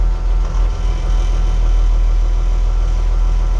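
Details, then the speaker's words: Diesel loader idling while the auxiliary lever beside the spool valve opens the grapple after hydraulic hose replacement; low, even idle with a slight dip and pulse as the grapple works; hydraulics working normally. "the controls for the auxiliary just a another lever next to the spool valve and uh pulling back should open it up and it does and there you go one grapple"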